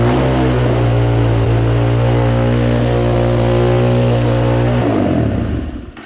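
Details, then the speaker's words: Cheap Amazon 250cc dirt bike, stored five years, holds a steady high-rpm roar for five seconds then dies; throttle cable at carburetor top appears not seated, holding the quarter-turn throttle open and feeding extra fuel. "So, what's going on is it looks like where the uh where the throttle cable comes into the top of the carburetor, it looks like it's not seated right, which would be pulling pulling the the throttle, giving more fuel, making it run real, making it like scream."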